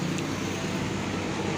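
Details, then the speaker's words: Honda Wave125i LED 2022 motorcycle after repair, with the loose front-panel bolt retightened with threadlocker: steady, even engine hum with no buzzing or rattling from the front panels; runs quiet. "ดูเท่าที่ขี่ดูนะครับก็ไม่มีปัญหานะครับก็เงียบแล้วครับนี่นะครับเินก็จะไม่มีเสียง"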